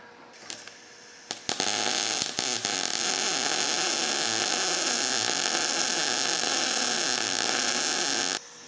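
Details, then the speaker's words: Everlast PowerMTS 141Si 120V inverter multi-process welder, MIG with .030 wire, gas about 20, around 160 ipm wire speed and 17.5 volts on scrap: about seven seconds of steady crackling hiss, no pops or sputter; normal smooth MIG arc. "Well, I can tell you already this thing seems to weld pretty nice."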